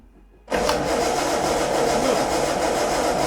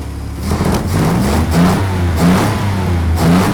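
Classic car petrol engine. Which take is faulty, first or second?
first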